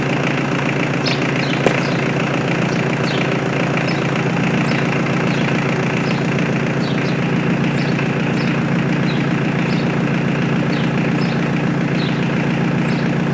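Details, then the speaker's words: Mitsubishi L200 K74 diesel 4x4 stored 15 years, new air and fuel filters and oil change, restarted to check rev rise after an unexplained one-off noise; steady even diesel idle with regular low beat, no knocks or misses; normal idle. "je décide de relancer le moteur malgré tout pour voir si la montée en régime est progressive et qu'il n'y a pas de problème évidemment"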